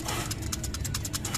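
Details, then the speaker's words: Car with a quick metallic rattle, about ten clicks a second, when running with the clutch released that vanishes when the clutch is pressed. An earlier part replacement didn't help; worn clutch disc damper springs were the cause, fixed with an original clutch disc. "tapos may maingay na parang garalgal parang metal to metal tapos pag tinatapakan ninyo nawawala possible diyan lagi yung pinaka-common itong clutch dis yan eh"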